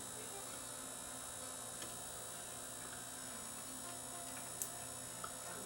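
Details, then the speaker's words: Zenith CRT TV with failed regulator and blown zener, suspect flyback, on 12 V supply after reconnecting open B+ resistor: faint steady electrical buzz, set humming as if trying to run but measuring about 0.3 V, no output. "I could hear this thing humming away like it's trying to"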